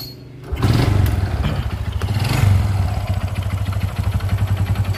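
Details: Supra X 125 motorcycle, rough engine noise: steady rapid knock through idle right after starting, heard from the middle of the engine, a sign of a worn connecting rod (stang piston) big end.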